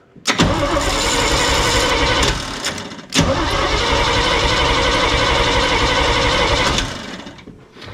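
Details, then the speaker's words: Old snow plow truck: two long cranking bursts, starter chugging about four times a second, never catches; no fuel reaching filter, owner suspects it's on the dry tank, tank switch location unknown. "so guess what I would say that it's probably on the dry tank and I don't know where the switch is"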